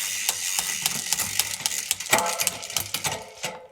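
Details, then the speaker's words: Shimano 11-speed MTB drivetrain with XTR SL-M9100 shifter, bike on stand, after initial rear derailleur indexing and B-screw adjustment: crisp single clicks about three per second as chain steps cog to cog, no grinding or chatter; smooth, normal shifting. "I don't know guys that's looking pretty good for now and this is just an initial adjustment basically that's what we're looking for we're looking for smooth shifts"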